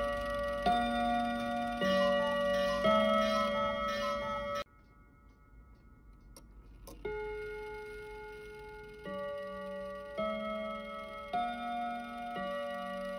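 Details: Kienzle Westminster chime mantel clock, decades unused, recently dropped, after oiling: bell notes ring in a run with dead gaps over a light tick. Chime order sounds wrong; cause suspected, not confirmed.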